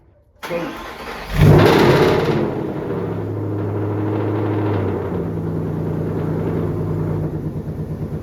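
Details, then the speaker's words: 2013 Ford Boss 302 V8 supercharged build, first start-up: the starter cranks and the engine catches with a sharp flare, then settles into a lumpy idle with a ticking, puffing edge. Exhaust leak suspected, not confirmed. A fitting is also suspected of leaking. "the big problem is one it kind of sounds like it has an exhaust leak somewhere"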